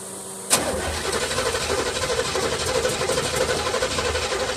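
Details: 1976 Olds 455 big block with a 400 Turbo in an '84 Blazer/Suburban, cranked after sitting about 155 days at about 70°F: slow, labored cranking with no firing; the weak battery is suspected to be nearly dead.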